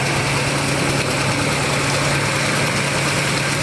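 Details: 1979 Chevy G20 van running after sitting 35 years, on boost pack, exhaust pipe leak fixed, timing a little high, no smoke: steady, even idle with a low drone and no knocks, puffs or misses, normal idle.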